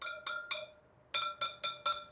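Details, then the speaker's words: 2023 Triumph Tiger 900 Rally Pro at 12,000-mile service, spoke tap test: seven bright metallic pings, three then four, at nearly the same pitch, one slightly tighter; spokes evenly tensioned. "can you hear that they're two very close tones so this one is tighter than this one"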